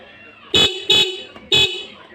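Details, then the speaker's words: Motorcycle with front cover refitted, small stereo horn (two stereo horns fitted, used in narrow alleys): three short, clear high-pitched honks with bright steady tone; horns healthy and strong. "Nah, seperti ini ya. Di suara klakson yang itunya saya pasang dua ya, suara klakson yang stereonya."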